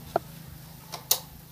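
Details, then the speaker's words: Motorcycle turn signal flashing with only soft dry relay clicks over a faint hum and no beep, after the buzzer part was cut out of the flasher unit. "Đó các bạn thấy đèn nhanh chớp không? Đây, nhanh trước chớp. Mà nó không kêu nha."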